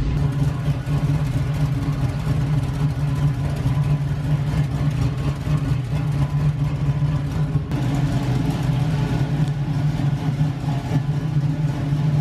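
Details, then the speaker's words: LS-swapped Camaro with big cam, first drive after transmission rebuild, brakes weak: deep, uneven loping V8 idle with choppy low rumble; engine sounds healthy and strong. "hopefully that's all it is but man this thing sounds so good"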